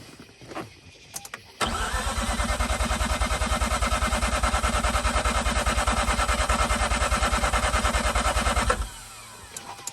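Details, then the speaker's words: Mazda RX-8 rotary, flooded, cranking at the start of a de-flood procedure: the starter turns at a steady, even rhythm of about three beats a second for seven seconds, but the engine never catches. "so it does not want to start right now let me try to just begin with a default procedure"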